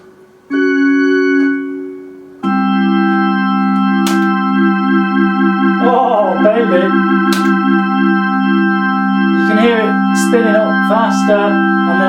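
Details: Eminent Solina F225 vintage analog organ, Orbitone rotary effect tested after repair. Sustained chords start swirling and wobbling faster, then slow again; the rotary effect spins up and works properly.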